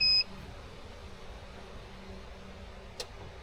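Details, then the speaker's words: Homebuilt steeple-cab trolley locomotive: draws power briefly, then one short sharp high beep and faint low hum; inverter trips on overload. "The unit draws power briefly before the inverter trips, which you'll hear when it beeps."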